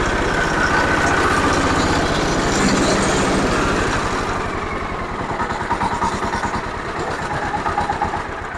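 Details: Zubr walk-behind tractor (motoblok) engine after reassembly with the oil and water pressure sensors fitted and rpm lowered. It fires up and settles into an even, steady idle with regular firing beats and no knocking; normal idle.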